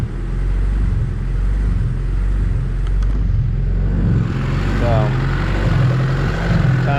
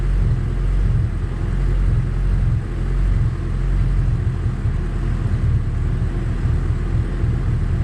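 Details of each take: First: High-compression Honda D16Z6 build after valve lash, while setting timing to 16 degrees: the idle rises and sags about once a second without settling. Owner suspects the fueling and had previously run it lean on purpose because lean smoothed this. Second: High-compression Honda D16Z6 build after valve lash, with the mixture leaned out: low, steady idle with an even beat, slight cam lope and occasional lean pops. It's much better and the motor is much quieter.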